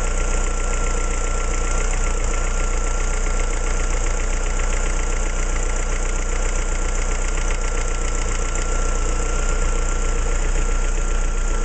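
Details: Opel C16XE engine: steady idle with a fast, fairly regular tapping around two hundred a minute riding on the engine; cause not identified.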